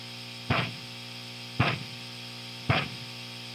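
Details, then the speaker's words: Marshall JCM800 2203 100-watt guitar amp with power tubes, preamp tubes and filter caps already replaced: soft rhythmic whooshing "pouf" thumps about once a second, nearly constant, over mains hum; motorboating-type puffing, cause not yet found. "it's got this rhythmic pouf sound it actually sounds like someone's just blowing air in your face or something like that and it does it pretty much all the time"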